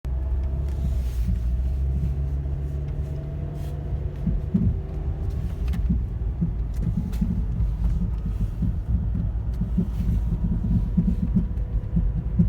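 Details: 2010 Toyota Corolla LE making a loud, irregular thumping and popping over a low rumbling run, roughly every second, louder in person; source not identified.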